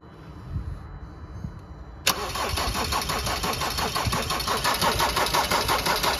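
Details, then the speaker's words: Diesel that had run only 5-10 seconds the day before, being started; it fires abruptly, then runs a rough, uneven idle near three beats a second and later cuts out, cause undetermined, fuel supply questioned. "yesterday literally ran for about 5-10 seconds and then just put it out"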